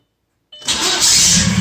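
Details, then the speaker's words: 2004 Audi allroad swapped to a 2.0 TDI BHW PD engine from a 2005 Passat, with a new starter and an aftermarket, possibly oversized flywheel: a harsh metallic whirr at cranking before the diesel starts. The starter meshes too tightly against the flywheel; fixed by loosening its bolts slightly. "here's that the starter was a little too tight against the flywheel it is an aftermarket flywheel and maybe it's a little larger than stock"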